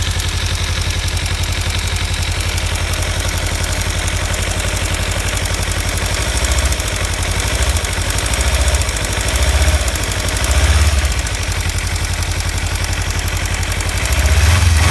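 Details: 2015 Kawasaki Ninja 300 twin at warm idle: light, quick ticking rattle over the exhaust beat, appearing only once warmed up after a short ride; owner suspects the cam chain tensioner or loose exhaust header bolts, not confirmed.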